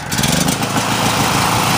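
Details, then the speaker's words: Generac GP 3250 generator after repair (new carb, gaskets, OHV gasket, fuel line, fuel shut-off valve, fuel system and tank cleaned, oil flushed three times), choke off; fires right up into a smooth quiet hum behind a big muffler, no smoke, normal idle. "good good to go be good for that sounds good nice and quiet okay this one's actually pretty pretty quiet"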